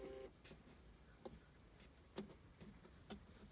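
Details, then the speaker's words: 2019 C7 Corvette Z06 while driving: sharp, irregular clicks and creaks about once a second over low road rumble, traced with trim removed to behind the rear-view mirror; owner plans to wedge double-sided tape there; interior trim creak/rattle. "there creaking noise that is actually coming I took the trim off of this and it's coming from right here driving me nuts"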